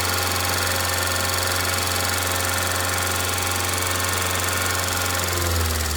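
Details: 2002 Rover 75/MG ZT engine, warm at idle with the temperature gauge normal, rather smoky. There is no obviously bad sound apart from a light, fast ticking about two per second from a couple of tappets, suspected to be losing some oil pressure.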